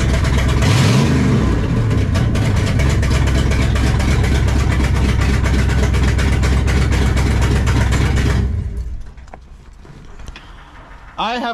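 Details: 1968 Dodge Charger R/T V8 with a newly installed Barry Grant Demon carburetor (replacing a 600 Edelbrock); the idle screws may still need adjusting. It starts, revs strongly, holds a steady lumpy idle, then shuts off cleanly; normal running.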